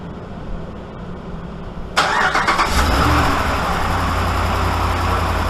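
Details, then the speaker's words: 2013 Dodge Ram 5.7 HEMI after passenger exhaust manifold repair (broken bolts replaced; complaint was ticking worse when cold): cranks, catches after two seconds, smooth even idle, no ticking or puffing at manifold; normal idle. "i think we're all right you guys hear anything well anything out of the ordinary i don't i didn't think so either"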